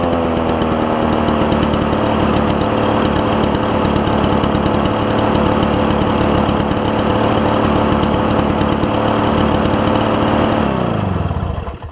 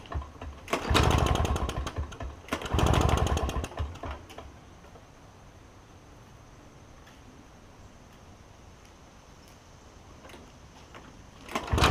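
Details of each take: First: Toro push mower with a two-stroke engine believed Suzuki-made, after carburetor cleaning: crisp, even two-stroke buzz like a marine outboard holds steady eleven seconds, then winds down cleanly at shutdown; normal running. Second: Toro push mower with a two-stroke Suzuki engine, first start attempt after the carburetor was cleaned: it catches and buzzes for a second or two, then dies. A blockage remains, a partially blocked carburetor jet starving it of fuel.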